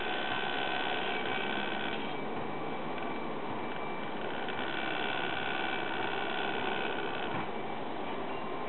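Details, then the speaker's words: Crosley entertainment center record player turntable: steady, harsh grinding rasp with no clear beat throughout; cheap turntable motor is on its way out. "you can hear we're making a a loud motor grinding sound which means the motor in this thing is on its way out"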